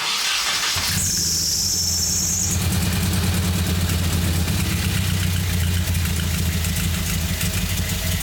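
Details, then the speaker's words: Nissan 240SX S14 with idle problems and sensors left disconnected by a previous owner: catches after a short crank with a squeal, then settles into a low idle that wavers rather than holding steady. Unstable idle, cause not yet found. "So, I got some help just so I can show you guys what my issue is with the 240 SX. Uh, we have idle problems."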